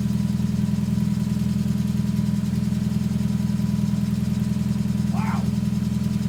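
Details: Mazda MX5 with intermittent misfire, heard through a screwdriver on the block: sharp even ticking 3 to 4 times a second over steady idle hum; injector clicks, cause not confirmed.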